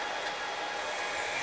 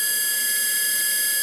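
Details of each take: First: 6040 CNC router's new spindle on a VFD, commanded 20,000 rpm and reading about 18,600–21,200 rpm: a smooth, steady high whir with even airy rush and no wobble. Normal spindle running at speed. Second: Original 1500 W spindle on a 6040 CNC with the China controller, noisy since new: loud high-pitched whine with shrill tones stepping up with speed; owner suspects bad bearings, to be replaced with a 2200 W spindle and VFD.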